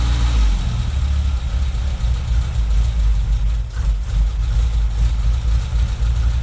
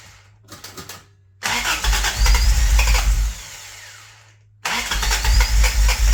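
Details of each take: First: Toyota Tercel wagon with swapped 4A engine and carburettor, just after fitting a Schneider Racing regrind cam: deep, slightly uneven idle with a loping exhaust chop, a healthy engine with a lumpy aftermarket cam. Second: Toyota Tercel wagon with 4A engine swap, after installing Schneider Racing regrind cam and new valve springs, vacuum advance capped: starter churns in short bursts, engine tries to fire but won't catch; owner suspects timing is wrong, possibly the belt.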